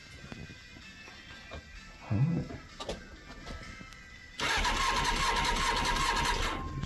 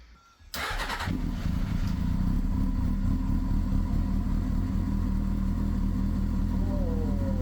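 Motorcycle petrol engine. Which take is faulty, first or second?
first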